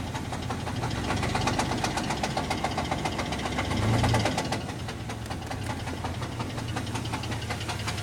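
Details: 1998 GMC Jimmy 4.3 Vortec V6 at idle with a steady deep knock about three to four per second; rod knock, engine later replaced with another 4.3.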